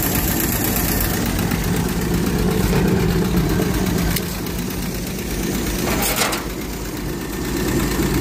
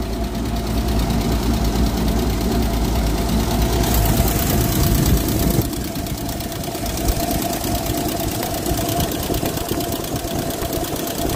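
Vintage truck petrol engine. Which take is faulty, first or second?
second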